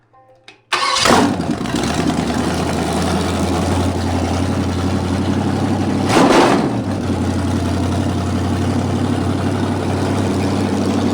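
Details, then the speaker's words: 1973 Canadian truck 350 Chevy small-block, rebuilt with a replaced piston and rod, big cam and fuelie heads, valves not yet set, open exhaust: fires and settles into a steady, even idle with a quick blip; smooth, no misses. "yeah it might not be a bad idea because that's a pretty smooth running motor"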